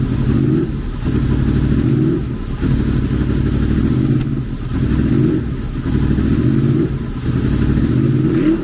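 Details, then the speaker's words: Honda VFR800 V4 motorcycle bought at salvage, after adjusting the throttle plate: the idle surges and dips about every 1.5 s, hunting rather than holding steady; slightly better than before, throttle bodies suspected out of sync; uneven running. "so I still think there's adjustments to be made but I think that's a little bit better than what it was"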